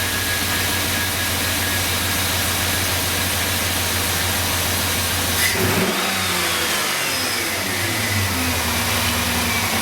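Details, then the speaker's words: 2005 Chevy Silverado 2500HD 6.0 LS V8 after new plugs, wires and coils cured idle misfire (likely cylinder 8), AC compressor off: starts, revs briefly, settles to smooth even idle. "yes that is much ni I turned off the AC compressor so that we didn't hear that uh that's much smoother"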